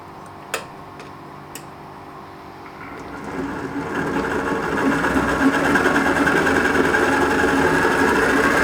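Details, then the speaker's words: Mini lathe after an ELS conversion, with a spindle encoder fitted and the gearbox and banjo removed. After a few quiet clicks the motor winds up and settles into an even, steady hum at about 938–943 rpm; normal running. "It's saying it's 938, and it's not too far off what the encoder's saying. So the encoder's saying it's 943."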